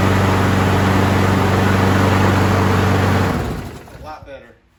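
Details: 2009 Craftsman self-propelled FWD mower, model 917.376401, Briggs 6.75, 22-inch cut, after carb clean and rebuild for a gas leak and swapping a bent blade for an unbent used one: steady, even single-cylinder drone with no shake before shutdown; runs smooth and balanced.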